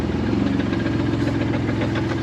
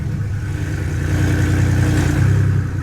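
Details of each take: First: BMW's old engine, due to be replaced with an M54 B30, idling and lightly revved: rough idle with a fast, uneven knocking under the engine drone throughout; worn engine knocking. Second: BMW with a newly installed M54B30 inline-six, first cold start since the swap: smooth, steady run from cold, and the idle settles lower and evens out after a few seconds; healthy.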